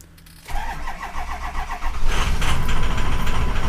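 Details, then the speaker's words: 2004 Ford F-250 diesel after installing a BulletProof Diesel FICM power supply (FICM main power about 49 V): cranks, starts slightly rough after about a second, then settles to steady idle with sync and IPR about 51%; normal start. "we got to start a little rough there for a second"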